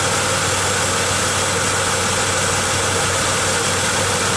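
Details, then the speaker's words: 1995 Pontiac Grand Am idling with constant metallic squeaking and rattling, worse under load such as brakes or defroster, mistaken for a bad alternator bearing; the cause was a temporary coat hanger around the catalytic converter, and the squeaking stopped once it was cut off. "and what I've determined is I had flipped this coat hanger on here a while back when I put on a new tail pipe and that stupid little coat hanger is what's doing all the squeaking and squawking up there"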